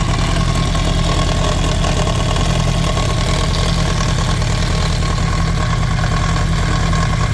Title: 2007 yamaha r1 grinding/rattling noise